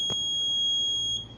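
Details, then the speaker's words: Fire alarm panel continuous high buzz for smoke alarm event, loop 1 module address 8, zone 1 south MTS area, cutting off when acknowledged; then signal silence and reset. "Untuk areanya dia MTS, dia zone 1 yang selatan. Area bagian selatan. Dia di sini ada fire alarm."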